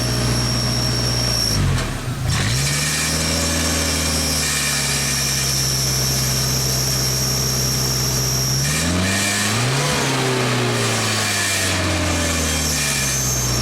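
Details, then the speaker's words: 1995 Genie Z-45 boom lift engine after throttle linkage moved to another hole so the butterfly closes fully, likely too far: it sags and stumbles at closed throttle, then revs cleanly and holds at full throttle under governor/actuator control. "Definitely in control. Now if you close it doesn't like that, but you can definitely rev up, so when you give it command to full throttle, the thing works."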